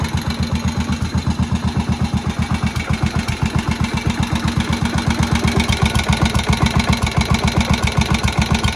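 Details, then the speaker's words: Moto Guzzi single barn find, first run in 40 years after head work: steady, low, unhurried thump about four beats a second, quiet, no extra tapping. Healthy normal idle, needing some adjustment. "That really low guzzy single tick over. It's going to need some adjustment, but I mean that to me sounds pretty good, I've got to say."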